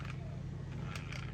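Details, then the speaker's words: Mustang rear drive gear damaged while driving: steady low motor whir with brief rough grinding bursts when lifted and run; cover removed shows badly damaged gear teeth, fixed by replacing the gear. "Right there. You can hear that grinding right there. So we will be taking this cover off and we will be examining that gear."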